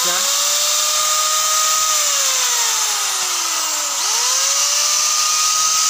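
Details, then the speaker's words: Small electric angle grinder after repair of a seized head shaft; steady high whine spinning down smoothly and winding back up, no grinding or rattle, rotating normally again. "nah dan seperti ini Lur hasilnya dia mau berputar e normal seperti sediakala n"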